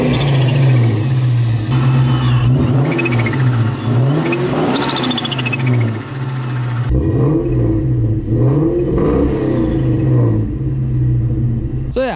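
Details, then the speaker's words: 1999 Mustang GT with Vortech V3 Si supercharger and recirculating blow-off valve, briefly warmed up and revved: sharp airy whoosh on each blip as the valve vents; engine healthy and responsive but running rich, valve sound disliked. "that's what it sounds like other than the blow-off valve being a little tacky and the car running pretty rich it sounds super healthy still and even it's like really responsive"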